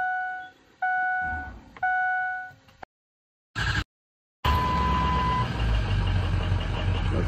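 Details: 2003 Ford F-250 6.0 diesel: after a few horn toots it fires promptly and settles into a steady, even idle rumble; sounds healthy.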